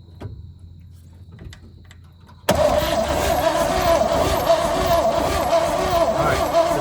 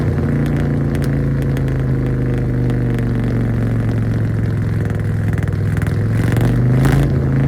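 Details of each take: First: 1966 Chevrolet truck not run since 1996, old plugs still fitted: starter grinds steadily with a whirring tone but the engine never fires; cranking with no spark, owner plans new plugs and wires. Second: 1966 Chevrolet truck not run since 1996, first run after parts sanded and lubed: steady even low V8 rumble with smooth beat and light clatter, lots of smoke, sounds pretty decent; engine running.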